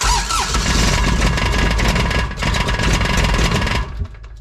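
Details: Kubota RTV900 diesel, sat long, new starter, battery dead overnight so jump pack used: steady rapid cranking about four seconds, never fires; glow plugs then used about 10 seconds; fueling issue suspected.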